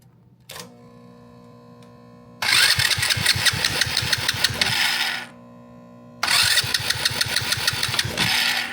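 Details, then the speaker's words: Honda Grom clone single-cylinder, cranking after a valve adjustment (one clearance had been too tight): two bursts of even cranking, about three beats a second, each stroke strong. Compression now healthy. "That feels like way stronger compression. Oh yeah, that's way stronger compression. That's good. That's great."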